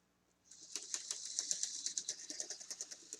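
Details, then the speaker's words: Model locomotive running on track with broken drive gears: light irregular clicking about four a second over a faint motor hum. "Hear that clicking? Coming back with a problem. Running with broken gears."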